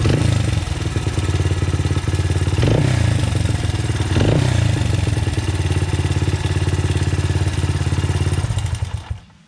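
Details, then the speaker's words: 2009 Honda CRF 80F single with Pro Circuit exhaust, free non-running project bike: quick light top-end ticking over idle rises with each throttle blip; timing chain slap suspected, tensioner adjustment made little difference, valve clearance check next. "I really can't tell what it is. It kind of sounds like timing chain slap, so we'll see."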